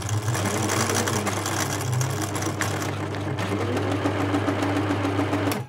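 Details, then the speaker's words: 1980s Singer Futura sewing machine (model 1000, 1100 or 2002), machine four: after a drop of oil on the noisy hook/bobbin case, fast even mechanical chatter without harsh clacking; runs much quieter and smoother. "huge difference a huge difference it's a really important point to oil there"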